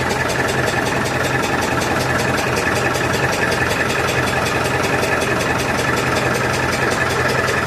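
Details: Massey Ferguson 65 diesel tractor after battery replacement, fast idle during alternator test: steady even diesel chatter with smooth unchanging beat; voltage about 13.2 easing to 12.9–13, alternator charging; normal running.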